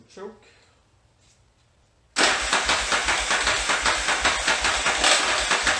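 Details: 1981 Yamaha XV920 motorcycle with new starter, ground cable and starter cable, fuel in the floats: steady rhythmic cranking about two and a half beats per second with a clunky edge, never catches; crank no-start.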